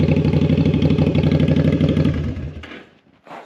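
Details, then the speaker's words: Jocker bobber two-cylinder motorcycle with Cobra exhaust, warm, just after carburetor synchronization: even, steady V-twin idle with a regular lumpy beat and no misses, then shut off; normal idle. "All right. Carburetors are synchronized. The advantage of having a two-cylinder engine is that you only do one adjustment and things are good to go."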